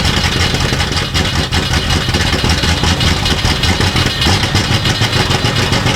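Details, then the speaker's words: 1960s Ford Galaxie V8 project, open-pipe start while throttle is worked, accidentally left in gear: loud, uneven, slow lumpy chugging with no crispness, sounding lazy; rough running, timing suspected. "That don't sound good. It just sounds really lazy. Let's give it a little timing."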